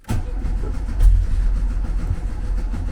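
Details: 1974 VW Beetle, 1915cc, converted to MaxxECU EFI, first tuning start attempt without touching the accelerator. Low starter churn that never catches; cranks but won't fire, traced to a wrong injection setting without a cam sensor.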